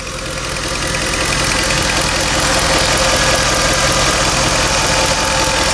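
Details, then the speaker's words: Ford F-150 4.6 V8 at idle on first start after repair: steady idle with light quick ticking, normal fuel injector clicking, not lifters; small exhaust leak; both cam position sensors suspected bad from bank 1 and 2 codes. "A little bit of a lifter tick there. Well, it's the fuel injectors."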